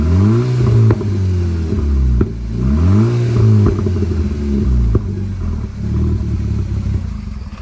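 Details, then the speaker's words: 2010–2014 Volkswagen GTI at idle and revving: loud, raspy exhaust roar climbing with revs and sputtering on decel from an exhaust leak at the downpipe-to-muffler sleeve clamp, to be replaced; louder under load, felt in cabin. "Alright, so one thing that kind of gives away that you have an exhaust leak, and the reason why we're going to replace that clamp, is just the noise. So it's going to be pretty loud, and you're probably going to feel it in the cabin."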